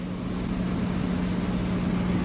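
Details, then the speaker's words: Geothermal heat pump after blower motor replacement, ramping to high speed: steady low hum with even airflow rush rising slightly at the end, no clatter or rubbing; blower spinning normally. "but I got no clattering and nothing she's spinning she's spinning like she should get ramped up like it"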